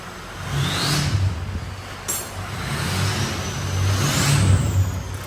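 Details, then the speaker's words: Budget-built Ford 6.0 diesel truck: rough, uneven diesel rumble with a loose metallic rattle from the exhaust knocking against the inner fender. "up all that noise that you're hearing that rattling that's the exhaust on the inside ofender"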